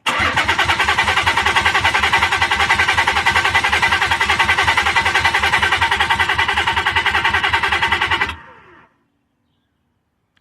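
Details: 300Z after the in-tank fuel pump was swapped, with a broken fuel pump ground noted: starter cranks the engine at an even three-plus beats a second for about eight seconds, never fires, then stops; crank, no start.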